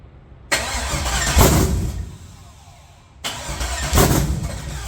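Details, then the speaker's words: LS 5.7 V8 in a G-body El Camino on a budget Amazon Gen 3 harness: two bursts of steady cranking, the engine never catches; crank no start because the injector ground on the back of the engine was never connected. "Okay, so it cranks a little bit. I searched through everything. Guys, check your wires."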